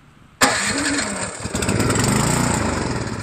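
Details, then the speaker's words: New Craftsman snowblower, Chinese PowerMore small engine that won't start; with carb cleaner sprayed into the cylinder it catches with a sudden roar and runs rough, spark and compression good, no fuel reaching it due to ethanol-clogged carburetor. "So what's the issue, guys? Has compression, has spark, it's not getting any fuel. That's what the problem is."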